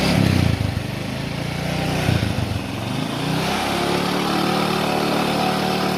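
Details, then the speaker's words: Honda Supra X 125 motorcycle after clutch-side repair: a few throttle blips then a steady, even engine note with no metallic scraping; smooth again, the earlier grinding gone. "Nah untuk hasil produksinya sudah normal lagi ya teman-teman dan bunyinya pun sudah halus lagi atau tidak kasar lagi"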